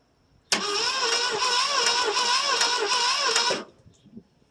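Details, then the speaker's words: 1968 Mercury Monterey, 390 FE two-barrel, sitting about 20 years, first cold start attempt with gas on carb; steady fast cranking about three turns a second, never firing; dirty, corroded ignition points giving no spark. "I don't think she got any fire take this off yeah points look like they're nice and dirty"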